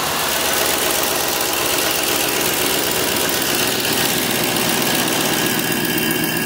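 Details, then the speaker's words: 2007 GMC Sierra Classic truck engine at idle after DIY oil pressure sensor replacement: the gauge no longer pegs at 80 on key power and oil pressure reads normal. Steady, even idle with smooth hum and some hiss, no knocking or ticking. "Looking like I got that oil pressure again where it's supposed to be. So now let's jump over here. Everything sounds good."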